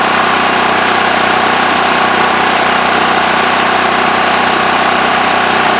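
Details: Westinghouse WH7000EC 7000 W electric-start generator with plugged spark arrestor removed from exhaust. Steady, even buzzing, constant pitch, no misses or surging; normal idle.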